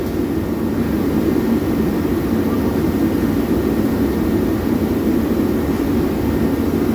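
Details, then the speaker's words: Firelake Shenandoah 315 waste-oil burner: steady fan roar with igniter audible but no flame catch; oil pressure very high at 9, air low, no oil spray, so the slide-out block is likely clogged and needs swapping. "We get nothing. If we look inside, no oil. No oil at all. You should see a spray there. And I can actually hear the igniter. So we are pretty sure this slide out just needs to be swapped, and the block is clogged because the oil pressure should not be that high."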